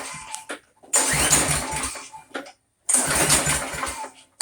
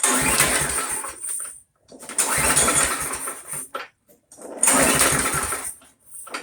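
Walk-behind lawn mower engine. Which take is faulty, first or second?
first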